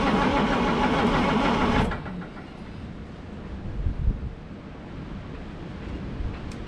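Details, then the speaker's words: GMC RC cabover day-cab diesel truck after new battery cables: starter churns steadily about two seconds with no firing stroke; no diesel in the passenger-side tank that feeds it, fuel starvation. "so what i've got going on is uh there was no diesel fuel in the passenger side tank"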